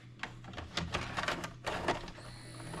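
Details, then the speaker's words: Cheap late-model DVD/VCR combo from Goodwill with a burner tape inserted: the motor whirs with scattered clicks but never completes loading. The tape loading arm is jammed. "See, she's moving. She wants to work. It's this arm down here that's the issue."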